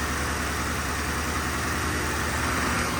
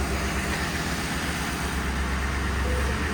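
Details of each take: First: 1966 Ford F100 on 2010 Crown Victoria chassis, fuel pump disabled, running briefly on starter fluid: even steady engine note with no knocks, ticks or rattles; quiet, normal engine running. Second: 1966 Ford F100 on a 2010 Crown Victoria chassis running only on a squirt of starter fluid with the fuel pump off. Rough, sagging, uneven running is engine stumbling from fuel starvation, close to stalling.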